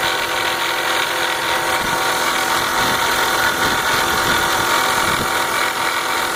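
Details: BMW 325xi (E46) at idle: a fast, slightly uneven metallic rattle, roughly four a second. Unplugging the DISA valve makes no change; the source is still unclear.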